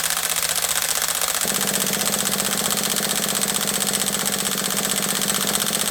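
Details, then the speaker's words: HPI nitro RC truck being turned over, possibly with gel in the carb needles: high buzzing crank drops in pitch and picks up a firmer beat halfway as fuel gets in and first combustion starts; not running yet. "did you hear the change in Pitch though that's when the fuel started to go in and we started to get a little bit of combustion happening a little bit of compression started to happen so we know the fuel is starting to go in now"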